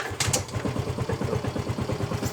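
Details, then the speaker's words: Fuel-injected scooter (Mio M3/Mio J/GT/Beat type) that wouldn't start or kick on a weak battery, now kicked with a healthy battery: after a couple of kicks it catches into an even, quick putter; starts cleanly. "Coba saat akinya udah waras ya, kita coba engkol. Nah, udah mau nyala tuh. Udah mau nyala."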